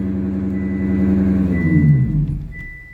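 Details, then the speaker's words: 2020/2021 Honda Accord on a lift, wheel spun with the engine running after a collision: deep droning growl fading as the wheel slows, loud when driving, possibly both sides; worn wheel bearing, spindle being replaced. "And well, we're gonna throw this in there, see if we can resolve this noise, because it sounds horrible when you drive it."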